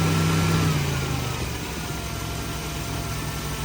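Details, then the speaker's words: High-mileage (about 250,000) engine with a redone head gasket, in neutral, not a very cold start at about 65: smooth steady idle drone around 1100 rpm with no misses, while valve noise is noted; idle slightly high. "1100 well that's slightly higher than what it probably should be but that sounds good so we'll just go with that"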